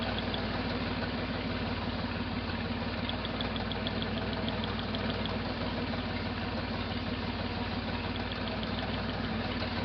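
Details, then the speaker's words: 1968 Jeepster Commando with Buick V6 at idle, rear cylinder plug wire pulled on and off: uneven stumbling beat; cylinder misfire, though plug seems to be sparking as smoothness changes with the wire. "I am pretty sure it's sparking. There's a definite definite change in how smooth it runs when that's pulled on and off."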